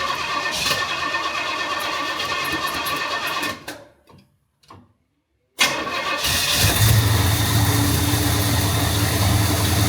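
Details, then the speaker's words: 1971 Pontiac Firebird Formula, after distributor ignition work with timing set slightly advanced, cold engine: cranks, pauses, catches and settles into steady, even idle with no misfire; still smells rich. Normal start and idle. "Okay. Still smells rich. But it's also cold. It's been sitting here idling for a handful of minutes now."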